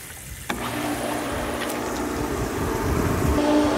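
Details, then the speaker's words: Jandy pool pump with cartridge filter, switched on at spring opening after winter shutdown: motor kicks on, then a steady hum with gurgling and hiss that slowly builds; pump slow to prime, possibly needing re-priming with water. "This pool here might have an issue with it priming. It'll take longer."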